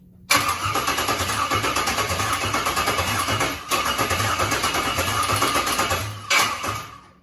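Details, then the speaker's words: LS-swap engine (36,000-mile all-aluminum LS in a 41-year-old vehicle) on first start attempt after wiring harness adaptation; steady rapid starter churning with no firing, cranks but won't start, sounds weird; stuck injector suspected. "I'm trying to fire. Sounds weird. It's trying so hard."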